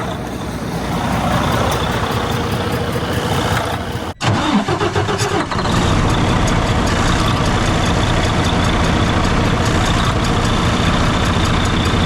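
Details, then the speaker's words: 2012–2013 Freightliner Cascadia DD13 diesel idling, low boost, fault SPN 2631 FMI 1 low air flow: faint quick tick and soft puff about three or four a second; bubbles show small intake manifold gasket boost leak. "Shouldn't have any bubbles, guys. So if you are getting something like that, you guys can hear the slight tick and the slight puff, so it's not terrible."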